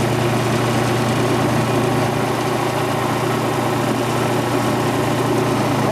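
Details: Quincy Model 325 compressor with rebuilt lower end and new starter, pump on the tank. Inspection plate and shims were siliconed against water ingress. Test run at 18-20 psi oil pressure: fast, even chuffing at about four beats a second with a steady low hum, no knocks. Normal running.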